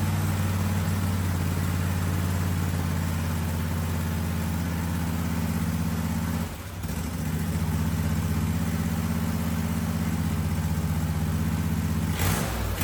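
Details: Husqvarna 2554 riding mower twin after fuel filter change: even steady low putter at idle, brief dip midway then clean recovery; slightly smoky, owner thinks from sitting and brake cleaner; normal idle.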